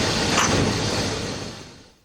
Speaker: if the remaining fuel and air gets so hot that they explode rather than burning smoothly the ping or spark knock can be heard the ping or spark knock will be heard not only by the driver but also by the nox sensor it will sound like this